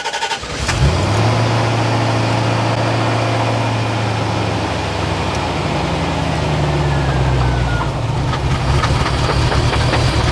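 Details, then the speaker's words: Chevrolet Corvette C4 ZR-1 barn find, first start after ECM repair reflowing cracked solder joints at connectors: cranks, catches quickly, settles to a smooth even idle; service engine soon light possibly from low coolant. "it might take a minute to sort itself out how's that it's running a lot smoother that sounds really smooth"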